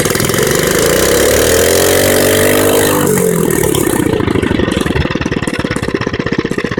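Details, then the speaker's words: Mini bike engine revved: revs up and drops back to a choppy, loud, raspy idle; it got noticeably louder than before, and the owner doesn't know why. "but I put me revving engine but but I I don't know what happened to it but it got louder"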